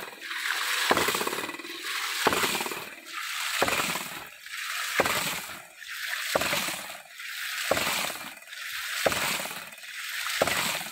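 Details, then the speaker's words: Mini hydraulic ram (hydram) pump, not yet concreted in, just resting on a stone, 2-inch pipes: steady cycle of about 44 soft, even waste-valve slaps a minute over rushing water; normal operation. "Ini lihat getarannya mesra sekali getarannya suaranya"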